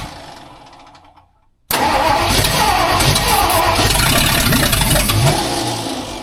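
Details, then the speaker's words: Rebuilt budget-build 302 V8 in a tow truck on its first start after installing the clutch, flywheel and distributor. It cranks briefly, catches and settles into a smooth, steady idle with no knocks, odd noises or smoke: normal running. "But it sounds good. It runs smooth. There's no weird noises. It's not smoking."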